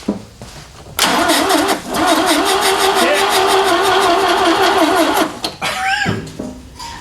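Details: Ford Capri donor car, low fuel: starter spins engine at a steady two-per-second churn for several seconds with no catch; cranks but won't fire, cause not confirmed.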